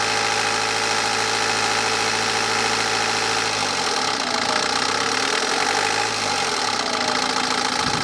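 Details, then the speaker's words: BMW 318D N47 diesel, idle then a quick rev: light metallic clatter rising and falling; timing chain suspected, reportedly replaced 40,000–50,000 miles ago by the previous owner, unconfirmed. "then, what do we think? Does the timing chain sound bad on this?"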